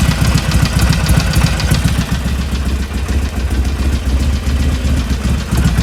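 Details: 2020 Harley-Davidson Iron 1200 V-twin, 6,000 km: loping, uneven idle with a persistent extra clatter that keeps going even after warm-up, owner worried; abnormal engine noise, cause unclear.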